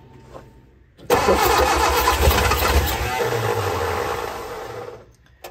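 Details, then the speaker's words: Barn-find Austin-Healey Sprite engine, formerly seized, freed, head refitted, both carb bowls filled, jump pack, choke held: the starter churns about four seconds with uneven firing pulses; the engine nearly catches but won't run on its own. "wants to run try to work the throttle and the choke at the same time"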